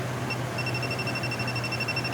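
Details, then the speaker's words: Truck AC system after DIY repair and recharge, AC now blowing cold: handheld refrigerant leak sniffer held to the refrigerant can goes from its normal tone to rapid high-pitched beeping, about ten pulses a second over a quiet hum, showing refrigerant detected. "hear how she gets all excited. Pretty basic concept."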